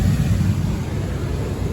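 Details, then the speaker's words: 2001 Isuzu Rodeo Sport A/C blower motor after removal and cleaning, which fixed a weird noise at high fan speeds: smooth, steady airflow rush and low hum at top speed 4, no rumble or shaking; blower now runs healthy. "so we're at one sounds good two sounds good three and you would have heard it by now i promise you that and four we are all right back in business baby"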